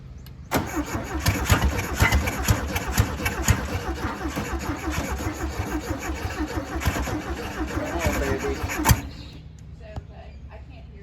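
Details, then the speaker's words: 1968 VW Beetle air-cooled engine sitting 35 years, repeated start attempts: catches and sputters unevenly several seconds, then dies; carburetor suspected gummed up inside from years of sitting, not confirmed. "We did have it running though. So that counts. This carburetor's probably all gummed up inside."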